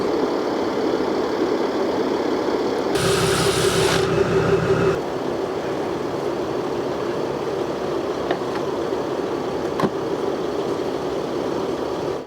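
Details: Mercedes W204 C250 CDI estate diesel, just fitted with a new turbo-side sensor after limp mode: steady, even diesel clatter at idle with no misses or hunting and a brief bit of bench noise; engine idles normally.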